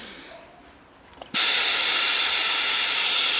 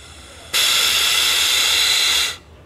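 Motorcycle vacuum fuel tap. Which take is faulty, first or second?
second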